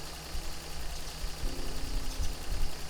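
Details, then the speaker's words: 1988 Toyota FJ62 Land Cruiser after fitting a new stainless exhaust, microphone in the engine bay, engine at operating temperature: low, even rumble with no rasp or ticking. Normal idle. "now that's right in the engine bay she's up to temperature and she's pouring like a kitten"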